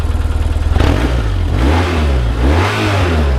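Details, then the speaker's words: 2004 BMW R1150GS boxer twin revved up: lumpy twin-cylinder idle pulse, then clean blips rising and falling smoothly with no misses or rattles; no smoke, runs real nice, healthy engine. "doesn't blow it doesn't blow any smoke or anything like that and just runs real nice"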